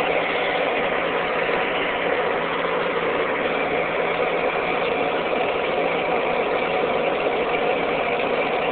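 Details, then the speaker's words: Ford 8N tractor after its wiring was fixed: a steady, even drone with no misses, knocks or surging. Running much better than before. "running heck of a lot better than it did than it was"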